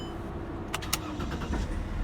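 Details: Mercedes W211 E320 CDI diesel, already warm, with intermittent no-crank/no-start and ESP message (owner suspects bad ECU): relay jumpered, clicks then starter catches and engine fires, settling into a low, even run.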